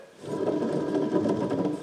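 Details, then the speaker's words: Generac RV generator with vertical-shaft engine belt-driving the alternator: gritty, uneven scraping rumble as the shaft turns from a badly worn bearing, slight shaft play. "oh there's our noise get you guys a little bit closer can you hear that wow that bearing is bad"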